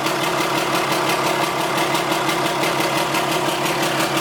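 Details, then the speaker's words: 4th-gen dually diesel truck on its first start after rebuild work, with oil in the exhaust making it smoky: choppy, uneven clatter pulsing about three times a second. The owner suspected air in the fuel system, not confirmed. "the truck was running but it wasn't it sounded a little choppy like it had air in the fuel system or something"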